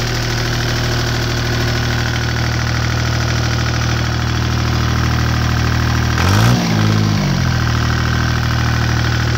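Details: Deutz 2009L03 (2009L3) German 3-cylinder direct-injected diesel on a test stand, cold start after sitting indoors at about 52°F, glow plugs used; smooth steady clatter at cold idle with a brief rev blip that settles back, seems to run pretty good.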